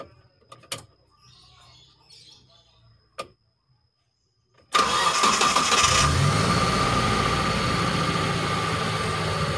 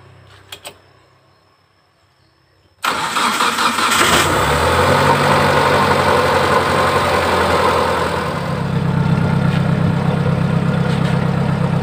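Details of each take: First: Injected T120SS after repair of fouling spark plugs, high fuel use and white exhaust smoke and an engine teardown, test start: quick crank catches and settles into a smooth, steady idle with no misfire or knocking; healthy. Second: T120SS injection engine fouling spark plugs black within a week, high fuel use, weak power, white smoke: cranks, catches after about three seconds into rough idle, no knock; oil burning past likely worn piston rings or cylinder liner; worn piston rings.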